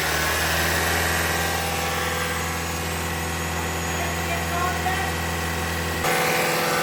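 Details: 2021 Toyota Camry Hybrid bleeding air after engine and inverter coolant change at 100,000 miles: steady low idle hum with cooling fan whirring on its second cycle, no knock or miss; normal idle.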